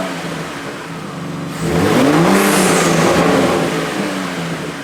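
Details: 2023 Ford Raptor 3.5L twin-turbo EcoBoost with newly installed Turbosmart vent-to-atmosphere blow-off valve (TS-0225-1001) replacing factory diverter valve, after install: revs climb, then sharp falling hiss as throttle shuts; blow-off valve venting normally.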